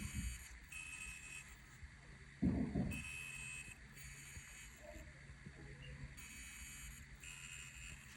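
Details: Replacement reMarkable Paper Pro tablet, recorded while scrolling a PDF: faint high-pitched electronic coil whine that comes and goes over quiet room noise, noticeably less than on the returned original unit.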